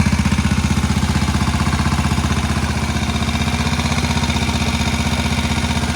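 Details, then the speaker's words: Old Moto Guzzi single barn find, first start after about 40 years following cylinder-head work, a bit smoky: steady, even thumping idle around three beats a second, regular clean firing, no knocking. Healthy normal idle. "And I'll tell you what, that engine doesn't sound too bad. Smoky a bit, it's understandable."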